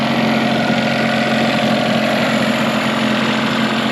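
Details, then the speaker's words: 1992 Mercury 15 hp two-stroke short-shaft outboard, rebuilt from two non-running motors with the parts engine's lower unit, after shifting through gears, not overheating: smooth, even idle with steady hum, no surging or stumbling; normal idle. "yeah the engine's running pretty good"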